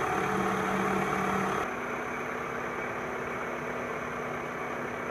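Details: 2000 Toyota Camry four-cylinder, harmonic balancer job (first noticed as a faint squeal with the AC on): a smooth, even idle with a steady hum and no knocking, rattling or shaking; running normally.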